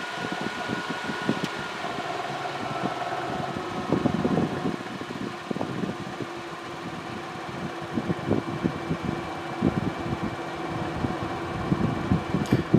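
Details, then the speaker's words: Endless Breeze fan on low speed: a steady, even whir and hum with no wobble or beat, running stable and balanced. Medium speed shows a harmonic vibration, which is being addressed by moving the blade counterweight. "okay so low is pretty good pretty stable"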